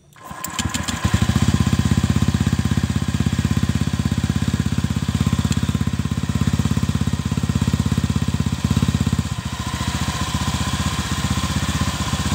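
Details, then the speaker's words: Honda Vario 125 (old model) CLD exhaust after repacking with 3 sheets of new glasswool: engine catches and settles into a steady, deep, even, muffled idle thump; only a slight change expected; normal exhaust note. "Kita langsung tes suaranya ya. Akan sedikit berubah. Ya, setidaknya sedikit berubah"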